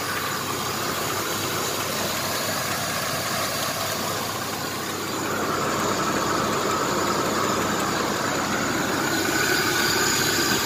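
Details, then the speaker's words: 1994 Chevrolet S10 Blazer 4.3 CPI V6, 190,000 miles, with true dual exhaust and cherry bombs, running after the spider injector replacement: light regular tick from the bottom end at idle, three or four a second; owner guesses the timing chain hits its cover once the oil is hot, unconfirmed. "If I had to guess, sounds like timing chain. It's only got 190,000 miles. I'm really shocked that it would be that. But that's what it sounds like. Sounds like the timing chain's banging against the timing cover once the oil thins out and gets hot."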